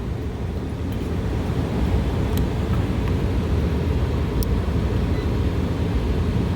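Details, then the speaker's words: Bar rooftop AC that keeps tripping its main breaker, just rewired with the economizer removed. The indoor blower runs as a steady, even rush of air with a low hum, drawing 9 A against its 10.2 A allowance. Normal indoor blower operation. "so uh indoor blowers running we're allowed to run 10.2 amps for the indoor blower motor"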